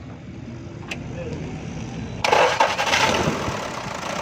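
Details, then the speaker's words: Diesel B2 (V2) that had long cranks and wouldn't start, started after feeding glow plugs (heater) directly from battery positive with a wire, bypassing a suspected faulty internal relay: short crank, catches straight away, settles to an even idle; normal diesel start. "देखिए दोस्तों, ये एक हीटर देने से ही हमने इसको ड्रैग किया है, तो गाड़ी स्टार्ट हो गई है।"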